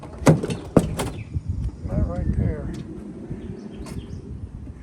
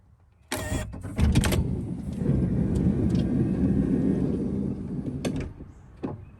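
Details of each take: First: 2012 Honda Odyssey Touring Elite power sliding door: sharp pops and clunks as it starts to open, then a low motor hum; lock-release actuator behind the panel suspected, not confirmed, before repair. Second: 2012 Honda Odyssey Touring Elite power sliding door after greasing its mechanism to cure an intermittent pop on opening: click, steady motor whir about four seconds, soft latch thud, no popping; normal operation, though the fault is sporadic.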